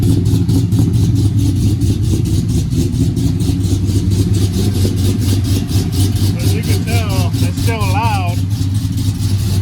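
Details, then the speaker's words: Sierra pickup with LSA supercharged V8 after repairs, fitted with an owner-ordered oval Magnaflow muffler: deep, steady rumble with strong low drone, no ticking or knocking; V8 runs evenly, normal running with a loud exhaust note. "i ended up ordering my own muffler which is a magnaflow it was an oval one too"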